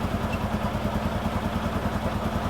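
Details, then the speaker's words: 2018 Odes Dominator 1000 X4 LT twin idling with injector 2 malfunction code, rpm bouncing, AFR 13.2; low, lumpy, uneven chuffing idle instead of a smooth twin rhythm; dead cylinder from damaged injector wiring. "oh injector 2 malfunction and that one so let's go on I want to go ahead and check to see what's going on with the injector number two"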